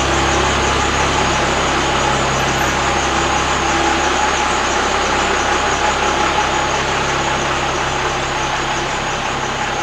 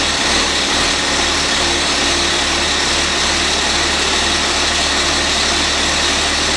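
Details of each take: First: Cummins diesel flatbed truck with dual stacks; even, steady diesel idle with smooth regular beat, no knocks, misses or rattles; normal idle. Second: Old 4-cylinder Cummins diesel flatbed truck, fresh batteries; steady fast diesel drone at constant speed, no throttle change, engine running on and won't shut off; owner suspects starter contacts sticking after sitting.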